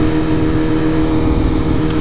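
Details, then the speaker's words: Honda CBR954RR motorcycle while riding: steady engine drone with a tinny metallic buzz appearing only at certain rpm; rattle source unknown. "no idea what that is it's only at certain rpms and it sounds scary"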